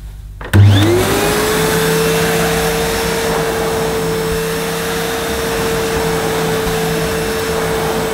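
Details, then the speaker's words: Early-1990s Hitachi CV-790 Powerhouse bagless vacuum pushed over carpet: clean, constant mid-pitched whine with no rattles or surging, though it is a bit hard to push on this carpet; running normally. "Yeah, it's obviously it's a bit hard to push on this carpet. As many vacuums I've looked at since getting this carpet, they are hard to push."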